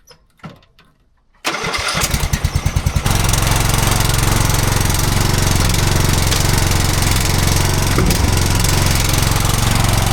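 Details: Engine that had been sitting a while and was propped on one side. It was hard to start, likely because the fuel had run back, then after a few cranking pulses it catches and settles into a steady, even drone with no misses. It runs normally.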